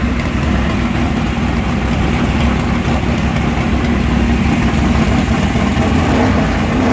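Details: Engine with mechanical fuel injection, started cold after priming fuel to the engine: it fires and settles into a steady, slightly lumpy cold idle with a deep exhaust note and no knocks. Healthy.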